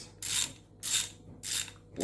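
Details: Power Fix ratchet, about 10 years old, after reassembly: four crisp bursts of fine, even clicking about every 0.6 seconds as the handle swings; the pawl engages cleanly and it works both ways.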